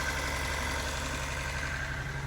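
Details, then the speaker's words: Turbo Datsun 280Z, first runs after rewiring: steady low idle with a faint light tick; owner suspects the injectors but is unsure. "What do you guys think that sound is? Not over there. I think it's the injectors, but I don't know."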